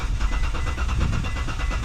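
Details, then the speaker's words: Gen3 Mitsubishi Montero with a no-start: the engine cranks fast and evenly with steady compression pulses but never catches. Cranking speed is normal, not the faster spin of a broken timing belt. Fuel or spark is suspected; cause not yet confirmed. "No RPM, just cranks, but it won't start. What could it be? Could it be no fuel? Could it be no spark?"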